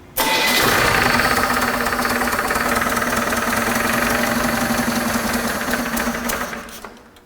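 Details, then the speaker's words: Barn-find GM 292 inline six for a '36 Chevrolet panel truck, running on an engine stand after distributor and timing reset: rough run with loud regular knock about four per second up front; dented oil pan suspected, oil pressure near 40. Engine knock. "Wow. That did not sound good. was that a knock? That was a knock."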